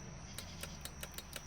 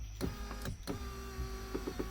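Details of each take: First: 2015 Lincoln MKX with flood damage, driver door window motor with switch removed; quiet sharp ticks about five per second with no motor whirr, motor clicks but window never moves, powers and grounds yet to be checked. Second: 2015 Lincoln MKX flood-damaged vehicle, power window motor test: steady motor whir with light gear clicks as the window drives normally; motor works, window only needs a calibration procedure, no replacement needed.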